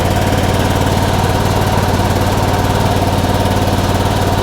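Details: 2001 Honda Rincon ATV, sat over two years, carb cleaned and rebuilt, charging voltage 13.4 V: quick, even put-put at idle with steady pulses, no stumbles or ticking; healthy normal idle.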